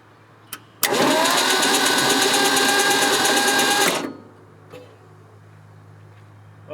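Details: 1967 Ford Bronco parked 26 years, cranked for about three seconds with fresh oil check; sluggish, uneven cranking with a lazy churning rhythm, turns over slowly and never catches; slow cranking.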